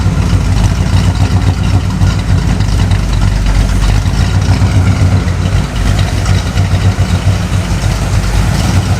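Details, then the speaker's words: Oldsmobile 442 V8 with Comp Cams 268 cam, revived after 20+ years sitting, tuned though needing excess transfer slot: deep loping idle with uneven chopping beat, steady rhythm; normal lumpy cam idle. "I will admit it took me a little while to get it tuned, and something was still goofy because I had to run way too much transfer slot, but eventually that comp cams played the song of its people."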